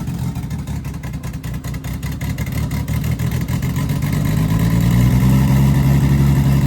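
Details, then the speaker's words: Nissan 350Z first start after Pocono crash, battery reinstalled: engine catches, revs briefly, settles to smooth steady idle with no knocks or rattles; engine undamaged. "Looking good. Oh yeah, we're alive, baby. Nothing happened to the engine."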